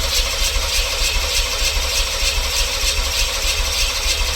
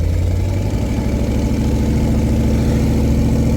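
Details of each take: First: LT1 V8-swapped Jeep YJ, crank no start: even, pulsing starter churn turning the engine steadily without catching; spark and compression confirmed, runs briefly on starting fluid, fuel pump heard kicking on; owner suspects fuel pump/fuel delivery. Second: LT1 V8-swapped Jeep YJ with true dual exhaust and small side mufflers, idling after no-spark repair, jumper-wired to the battery; deep, even, healthy V8 burble, but the alternator still isn't charging (11.7 V) and the cause is unclear, possibly wiring.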